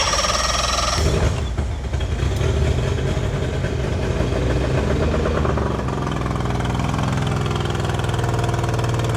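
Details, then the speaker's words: Outboard engine just swapped onto another boat, fuel just primed: uneven lumpy firing with irregular knocks, then steadier beat; rough running, cause unknown; later hot restart was good. "Doesn't sound right."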